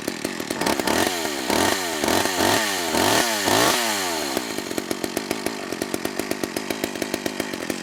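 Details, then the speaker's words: McCulloch Eager Beaver 2.0 cu in two-stroke chainsaw after carburetor clean (was a no-start), no purge bulb, air filter fitted: rising revs then blubbery uneven low-speed burble; suspected the filter richened it, low-speed jet needs leaning. "i think adding that air filter richened things up too much so that low speed jet has to be brought in a bit"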